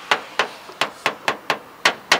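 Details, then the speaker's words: 1969 Chevy Chevelle SS396 body panel being tapped: about three sharp taps a second, each short, dull and dead with no ring, unlike the echoey sound of bare metal; body filler (Bondo) under the paint. "I hear some Bondo up in here. Hear how it sounds dead? Hear that dead noise? But when you hit here, you hear how it sounds kind of an echoey."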